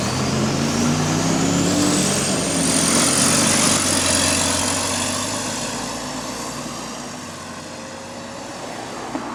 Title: GAL E266 & Exhaust Leak | GAL WVN46 On Bus Route 486 (Spot)